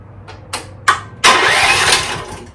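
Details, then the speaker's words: 2024 Chinese stand-behind skid steer, after a 30 A fuse replacement: three short separate bursts on the key before the engine catches at about 1.25 s, using a bit of choke. A delayed start; the owner suspects a weakening starter, unconfirmed. "well that's how it fired but did you see how it delayed"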